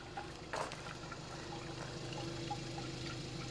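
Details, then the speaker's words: 2016 Mercedes C300 at an auction lot, heard at the tailpipe; engine shaking a little, rodent nests found. Quiet idle with irregular wet bubbling and gurgling from the exhaust; suspected water got into the tailpipe. Exhaust gurgling at idle. "That's not good. I think water has gotten in the tailpipe. She's a gurgling."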